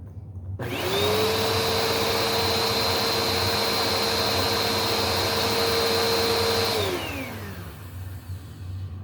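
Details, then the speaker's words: Bissell Powerforce Helix vacuum with old belt, first test run: motor spins up to a clean steady whine for about six seconds and winds down smoothly, quiet with no rattle or grind; before belt replacement. "First run. Actually, it sounds pretty good. I think this might be worthy of a new belt. That's actually pretty quiet."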